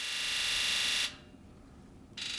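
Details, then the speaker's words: Ford 7.3 Powerstroke diesel, scan tool injector buzz (electrical self-test), heard close to the truck; a loud, high electric buzz for about a second, a pause, then a shorter buzz; all eight injectors respond normally. "so let's do a Buzz test or electrical self-test same thing we did on the seven or the 6.0 it's just seven three is a little louder"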